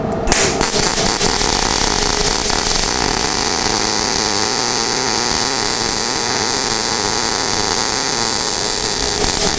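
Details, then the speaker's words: Inverter MIG welder, wire feed speed fixed, voltage dialed down from just over 20 V to 15.2 V: steady frying crackle of the arc whose tone clearly changes with the voltage setting; MIG arc sound change with voltage. "So did you hear the change in the sound of the weld itself? Oh, yeah. You know, big change, big change. You can just sit there and just dial it back and forth and get it the way you want."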